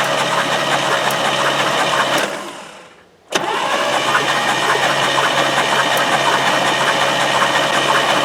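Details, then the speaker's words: 1978 GMC Caballero, manual: even cranking churn of about three turns a second, a pause, then more cranking without firing; no deep rhythmic rod knock heard, though a dead oil pump is suspected. "I wonder if this oil pump died and that's why it uh has a rod knock. But from what I'm hearing cranking it, I don't hear a rod knock."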